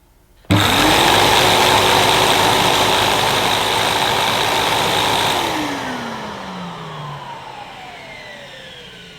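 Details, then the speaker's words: 2005 Numatic Edward Turbo vacuum switched on with turbo electric head connected and handle switch on; motor starts sharply into a steady high whine with even hum, then spins down smoothly. Normal start-up and run, electric turbo head works. "That's a relief. The electric turbo head works."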